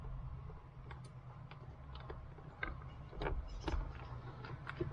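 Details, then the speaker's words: Early-model BMW E30 power window: the motor clicks sharply over a low hum but won't turn. Swapping the switch changed nothing, so the motor is the likely fault, suspected gummed up and unable to spin. "and still nothing but I do hear the clicking on that motor so the motor is more likely going to be the issue"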